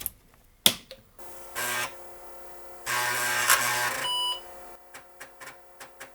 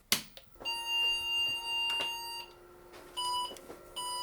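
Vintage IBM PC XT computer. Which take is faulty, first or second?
second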